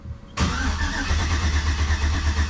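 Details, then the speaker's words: Jeep TJ with a swapped 5.3 V8 at first fire-up after pre-oiling: the starter spins the engine with an even churning drone but it never fires. A relay is suspected of cutting power when the starter is engaged. "There's a relay or something that when you hit the starter, it's getting turned off."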